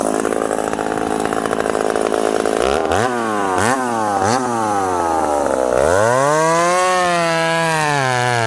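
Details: Ported McCulloch Super Pro 70 (70cc, full house) chainsaw on a 32-inch bar in hard-cutting wood: screams freely, then drops pitch sharply each time it's pushed into the cut. Revs more than his 850 but lacks its pull; cause unconfirmed.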